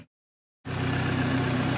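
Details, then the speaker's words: 2019 BMW 330i after serpentine belt replacement and oil change: after short silence engine starts and settles to an even, quiet idle with no belt squeak or chirp, unlike the bad squeak on every start before the repair. "rất hay và êm không có tiếng kêu như tôi đã nói trước khi thay dây curoa."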